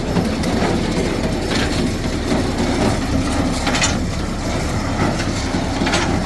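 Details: Old square baler driven by tractor PTO after repairs, chains lubed, running empty: even mechanical clatter and chain rattle at a steady pace with no knocks or squeals; sounds healthy.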